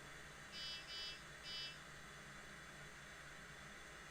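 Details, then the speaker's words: IBM 0665 MFM hard disk, owned from new since the 1980s, powered back on after proper shutdown: faint, even spin-up hum with no ticking or grinding, then three short beeps; starts up healthily. "we're gonna power it on so you can hear the startup and drive has started up beautifully"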